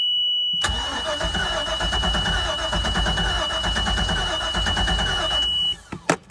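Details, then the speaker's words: 2003 Bayliner 215 Bowrider, stern drive on trailer, first start since June: engine catches right away and runs a steady, even rumble with a thin high fuel-pump whine above it; normal clean start. "Hasn't run since June. Let's see how she does."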